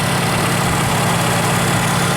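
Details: 2008 Nissan Versa idling after repair of a seized A/C compressor clutch that had stalled the engine, A/C switched on: steady low idle with a coarse, gravelly grumble and no clear knock; rough, cause not evident.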